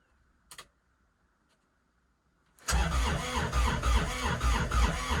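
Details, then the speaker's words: Kubota RTV900 diesel at -8°F with summer fuel: a click, a pause, then steady cranking at about 3.5 turns a second with no firing. Owner suspects gelled fuel and is limiting cranking to save the battery. Won't start. "that was a lot more cranking than i like to do though nope that's it not gonna go and we're done"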